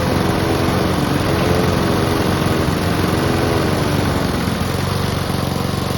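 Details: Honda and Mountfield petrol lawn mowers (Mountfield with a replacement fuel tank) running together before winterising: steady, even drone with constant low throb, no knocks or misses; running healthily.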